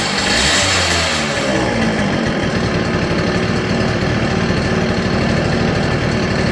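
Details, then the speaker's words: CPI two-stroke scooter idling with idle jet redrilled to 0.35mm: irregular popping beat with missed strokes, still misfiring and a bit rich; mixture screw nearly fully out, owner thinks idle jet still too big; sputters when warm. "better but it's still misfiring it is still running a bit rich I think the idle jet is still too big"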